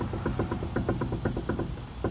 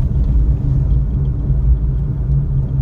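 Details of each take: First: Suzuki Alto, on a lift: quick, hollow clunks as the front wheel is rocked left-right, from play in the inner tie rod ball joint at the steering rack; causes clunking over bumps and manholes; fixed by replacing the steering rack with a rebuilt unit. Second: Suzuki Alto on a road test after replacing the steering rack with a rebuilt unit: steady low road rumble with no clunks over manholes or bumps, or when steering left and right. The earlier clunk is gone.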